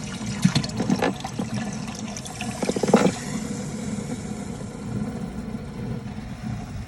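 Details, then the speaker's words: Newly installed 2-wire bilge pump, no float, draining the boat: steady low motor hum under strong splashing water, no labouring or stalling. It works, though output is weaker than hoped and the owner feels it should have more power. "I don't know if I feel like it should be getting more power, but sounds like it's working."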